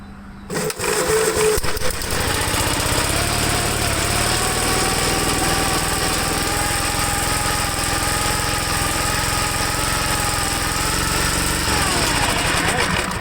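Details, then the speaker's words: 1954 Gravely single-cylinder, throttle set: holds a high steady buzzing speed with no drop to idle, running way too fast; owner suspects the governor. "Running way too fast. I don't know if it's something with the governor."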